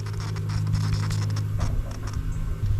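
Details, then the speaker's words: Fuel pump from a long-abandoned, water-swamped Sea-Doo jet ski bench-powered from a battery: steady low electrical buzz with no spin-up, impeller locked; later freed with a pick and works. "wonder if I can free it up though oh it's trying it's trying but it's not spinning hear that it's"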